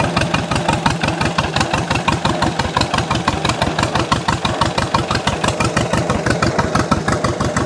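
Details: 1929 John Deere GP two-cylinder tractor after its first start; the slow, even popping beat holds steady at idle with no misses, sounding better the more it runs.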